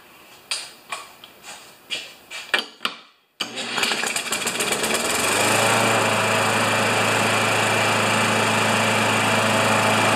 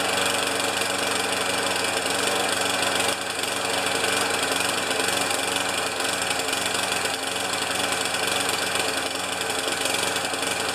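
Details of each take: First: Older Murray mower with 158cc Briggs & Stratton Classic engine (carburetor above tank), started with a drill: a few sharp drill-cranking bursts, then it catches and settles into a smooth, even run with steady low drone. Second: Older Murray mower, 158cc Briggs & Stratton Classic engine, after fitting a J19LM spark plug: runs rough and uneven, beat stumbling irregularly over a high buzzy drone; running really poorly, owner will change the ignition coil.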